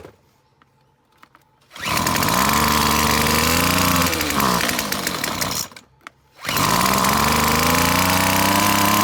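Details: McCulloch T55 CLS two-stroke line trimmer, fresh fuel, spark confirmed: revs up with a rising buzz, then sags and cuts out when the throttle drops; won't idle, owner guesses a blocked carburetor jet or a loose part.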